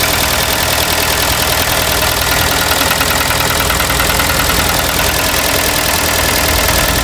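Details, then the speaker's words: Kia petrol engine at cold start and idle with a steady, hard knock about three a second: piston slap. Cylinder 2 has aluminium from the piston transferred to the wall and cylinder 3 is half scored, so the engine needs a rebuild. "все двигатель капитал не жилец стучит холодную запуск стучит конкретно стучит"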